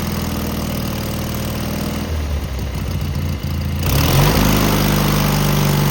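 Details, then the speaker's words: Cub Cadet garden tractor with Kohler KT17 twin, after muffler replacement for a suspected loose rattling end cap: runs lumpy and uneven, speed sagging and surging, exhaust much quieter; carburetor not checked, cause unclear. "I'm not sure if this motor's good or not. Uh I didn't quite like the way it ran, but it is much quieter."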